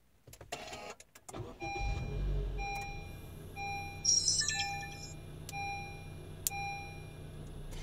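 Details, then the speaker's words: Car audio power-on after fitting a 555-timer relay delay so the amplifiers turn on last, after the LCQ1. Two separate clicks are heard, the LCQ1 relay then the 555 relay, over a faint dash-cam chime, with no thump or pop from the speakers. Normal, thump-free power-on. "so right there you heard two clicks the first one was the lcq1 and the second was the uh 555 timer circuit with the relay"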